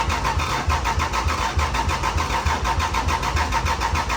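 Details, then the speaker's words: Lexus IS300 just fitted with a new engine (EWS V2 immobilizer), first start attempt; steady, even starter cranking about three and a half beats a second that never catches; cranks on key but not firing, immobilizer suspected; crank no start. "it's turning over by the key, which is 6, so now we just got to figure out why the hell it's not firing yet. EWS V2."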